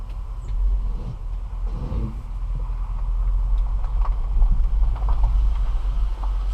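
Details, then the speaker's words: 2014 Dodge Durango Citadel Hemi AWD after replacing sway bar links, driving over a garage lip that previously clunked: steady low engine and tyre rumble, no knock or clunk from the front end; suspension noise fixed. "one more time okay here we go again no noise no noise"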